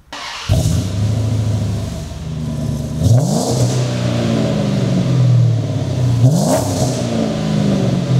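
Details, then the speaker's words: 2006 Dodge Charger Daytona V8, 250K miles, straight pipes replaced with the SS truck's mufflers: catches at once and settles to a deep, even burble, then two clean revs rise and fall smoothly; a normal, quiet, refined-sounding engine. "doesn't that sound so much more amazing it sounds quiet but refined it sounds powerful and refined"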